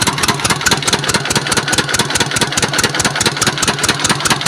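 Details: S1125 diesel engine that ran out of oil, was refilled and restarted: hard, evenly spaced knock about twice a second over a rough idle, engine not revved for fear of breakage; connecting rod knock.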